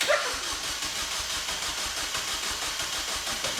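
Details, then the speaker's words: Newly built kit car, very first start attempt: steady rhythmic starter churning for several seconds with no catch. Cranks but doesn't fire; the first start failed. "well that was failed that is the first start failed so we will try again in a minute"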